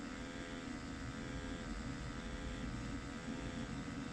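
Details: Ariston micro combi boiler after the fault was fixed with no new parts: a steady, even fan hum with a constant tone and no rattles or surging; the boiler is running normally.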